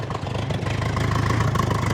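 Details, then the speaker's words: Holley Sniper 1100 EFI (replacing carburetor) on a Bombardier Bombi, after exhaust manifold crack fix, warming up: deep, slow, steady rumble with soft even beat, idle set noticeably low at 900 RPM; runs a little rough, engine later stalls. "But now that it's warming up, we have this thing set so that it idles at 900 RPM, which is pretty low."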